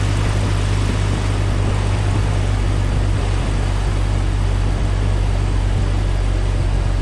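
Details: 1998 Jeep Cherokee XJ, AMC 4.0, after radiator replacement and coolant fill: steady low drone at warm-up idle, even rhythm, no knocks or squeals; normal.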